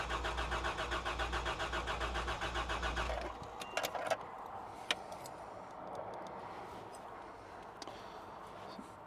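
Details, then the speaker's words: 1989 Toyota Land Cruiser barn find, sat about 8 years, four or five gallons added: about three seconds of even cranking, roughly four beats a second, never catches; oil pressure up, owner suspects failed fuel pump, unconfirmed. "So, in all likelihood, we need a fuel pump. And I just say that because it's what I do. I put fuel pumps in things."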